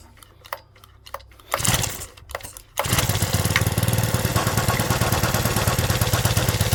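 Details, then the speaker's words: Stihl FS65-4 petrol strimmer with badly overfilled oil; after cleaning off oil and turning engine over, a few weak pops then it catches on choke and runs rough and uneven, but dies once choke is taken off. "So far, so good. But as soon as we take that choke off, it doesn't want to know."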